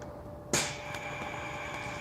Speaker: so you can hear the hissing noise that indicates the air is flowing out of the snipping ports